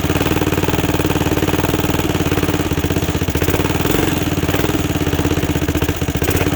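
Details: 2006 Zhejiang Kangdi 250cc kart with a big-bore cylinder, first run after teardown and reassembly with the exhaust refitted: a fast, even single-cylinder putter holds a steady idle with no knocks or misfires. Healthy runner, though it needs a new clutch.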